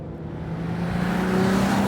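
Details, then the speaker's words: Alfa Romeo sports car accelerating out of a corner: smooth engine note climbing steadily in pitch, engine "just sings", not fast but clean with no rattles or misses; normal healthy acceleration. "engine delivery that power [Music] it just sings it's not fast fast but there's definitely a feeling of like whoa we're driving a very very composite car"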